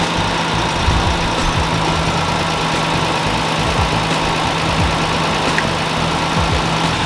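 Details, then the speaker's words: Toyota FJ60/FJ62 Land Cruiser after a no-start was traced to a bridging aftermarket relay and the relay replaced: loud, steady, even idle with no misses, knocks or stumbles, running cleanly. "now running which is really good i can breathe i can this is now running"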